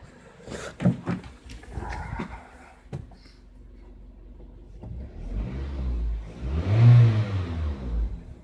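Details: Car engine: a few sharp light metallic taps as the throttle snaps open, then smooth revving. Denso iridium plugs at 26,000 km, Shell 0W-40 oil at 6,000 km, possibly bad AI-92 fuel from an untested station, −53°C frost questioned. Cause unclear.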